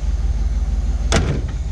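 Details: 1971 Chevy K10 4x4 with 350 small-block V8, restarted after sitting 10 years, new fuel, choke on: steady even low thump with one brief knock; idling smoothly.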